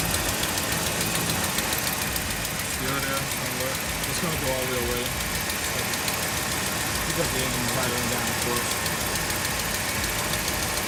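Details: Dodge Ram Hemi, passenger side of the engine bay, cold idle, tick started about four months ago and fades once warm: sharp quick tick about three or four per second; loose aluminum cover with suspected broken studs, exhaust leak.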